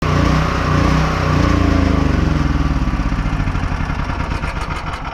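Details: Small generator engine surging, its speed sagging and pulsing instead of holding steady; suggested fixes include a new carb, cleaning, or snipping the solenoid.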